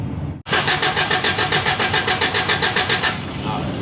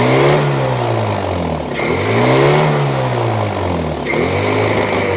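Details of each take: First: 1983 Toyota 4x4 pickup, 22R four-cylinder, manual, sat at least 10 years: even starter churn at about 3.5 pulses per second for under three seconds, never catching; no spark, even with a replacement ignition control module wired in as a bypass. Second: 1983 Toyota 4x4 pickup, 22R 4-cylinder, manual, revived after 10+ years sitting: clean repeated blips rising and falling smoothly back to steady idle, no stumble or bog; revs freely, no longer flooding, charging at 13.6 V.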